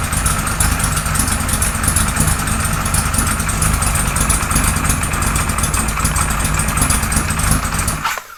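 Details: 1978 Kawasaki Z1-R four-cylinder with freshly installed carbs, no choke, idle cracked up: lumpy, hunting, stumbling idle that dies after about eight seconds; barely any intake vacuum, carbs way off, running rich on oversized jets.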